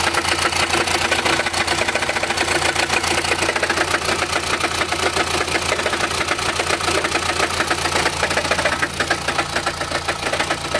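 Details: Chrysler Grand Voyager 2.8 CRD diesel automatic idling: loose tinny rattle three to four beats a second over the rumble, only at idle, in park, drive or reverse; cause found to be a badly cracked flexplate between crank and torque converter.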